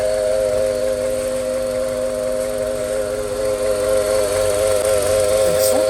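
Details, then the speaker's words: Car engine running with a loud, steady whine, traced by stethoscope check of belt-driven pulleys to the AC compressor. "احنا هنا اكتشفنا ان الصوت من كومبريسور التكييف"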